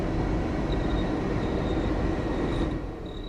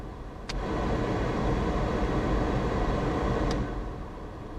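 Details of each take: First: 1995 Ford Transit Mk5 camper van heater blower: steady fan rumble with thin intermittent high squeak from dry motor bearings/bushes, risking seizure and burnout. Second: 1995 Ford Transit Mk5 camper van, 180,000 miles, heater blower after repair of squeaky fan: steady airy whoosh dropping to a lower speed, no squeak or chirp; fan now runs quietly.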